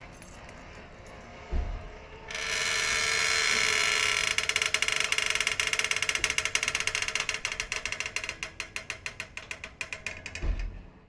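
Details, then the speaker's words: Autogate arm: steady motor whine turning into rapid, fading clicks at the end of closing; not an arm fault but a binding pivot that develops some time after installation, fixable with an Allen key. "hi everyone just now you watch the video right when you're closing until the end it got a funny sound the noisy this one is not the arm problem actually"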